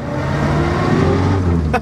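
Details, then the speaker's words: Morris Minor cruising in fourth gear after an ignition system repair; it previously threatened to die in fourth. The engine note builds smoothly and evenly as it pulls away, with no misfire or stumble. Normal acceleration. "oh and I am just cruising let's go out onto this junction which is an awful junction but no one and you want to go of speed bumps let's see sounds good"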